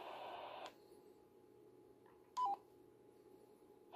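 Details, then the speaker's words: BaoFeng UV-S9 receiving while the transmitter has STE and repeater STE set: the hiss drops to near silence for about three seconds with a brief tone, then returns. The owner believes the STE tone causes this intermittent muting. "that time I got the antenna symbol but no bars nothing but you can hear it cuts for a while so that's the problem I believe I'm having or it's a possible cause of the problem"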